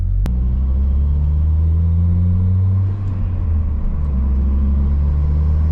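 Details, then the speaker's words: Saab 9-3 driving after the owner found and fixed a misfire: steady, even low rumble with no stumble or jerk, pulling cleanly with no misfire. "I am really happy that I found that misfire and I was able to do something about it"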